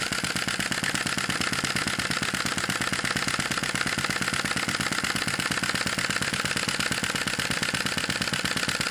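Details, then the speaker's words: Sai Hu V1-45 flame-licker vacuum engine model with a brass cylinder, hot, with a reduced wick flame: a fast, even puffing beat at constant speed with no misses. It runs well at its typical speed. "this is quite hot now and it's running pretty well"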